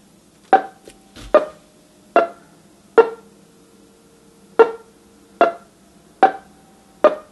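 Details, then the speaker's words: A customer's NuTone LBC55 electronic musical door chime, powered up before repair with its LED display flickering, plays a Westminster chime as eight plinky, flat, uneven tones. It is badly garbled and the chime circuit is faulty. "promise you that's not what a Westminster chime is supposed to sound like on an LBC 55"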